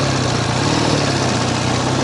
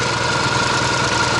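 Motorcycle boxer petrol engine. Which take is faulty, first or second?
second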